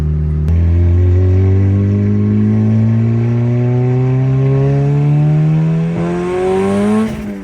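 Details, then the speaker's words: Turbocharged car, first drive since October. Engine pitch climbs under load, then pull breaks off abruptly as boost goes well over 12 and triggers boost cut. "Yeah, it's going way over 12. Over 12? Yeah. It's going way over. That's why it's cut."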